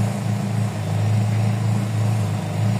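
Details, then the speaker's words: Toyota 4A-FE petrol engine (GLI) with rough shaking idle, low power and suspected low fuel pressure: idle runs high and RPM hunts, the drone swelling and dipping instead of settling; a screw found missing. "Ayan na boss w problema boss sa na boss so mataas ang idle niyan boss Nasaan lang eh magalaw yung RPM magalaw"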